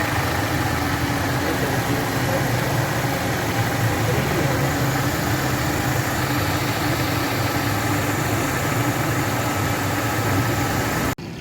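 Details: 2008 Mercedes-Benz C200 after a P0302 cylinder 2 misfire, caused by water in the spark plug area, was fixed: the petrol engine now idles smoothly and evenly with a steady low hum and no stumble.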